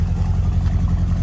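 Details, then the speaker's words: Engine freshly fitted with new water pump, timing belt, fuel pump, filters and fuel tank, first runs at low idle: an uneven, stumbling beat, a bit missy but closer than before; it sounds lean. "Well, it's a bit missy, but it's a lot closer than it was."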